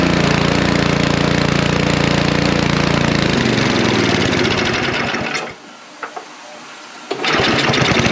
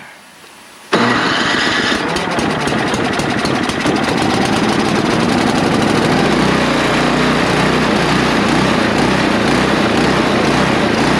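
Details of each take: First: Snow blower just after its carburetor was cleaned, engine cold and carburetor not yet adjusted: small single-cylinder engine catches with an even putter, drops out briefly, then picks back up and runs; slight hunting put down to the cold and untuned carburetor. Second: Neglected snow blower, only fluid poured down the carburetor throat and spark plug cleaned: it fires up, then engine speed hunts up and down instead of settling. Surging idle.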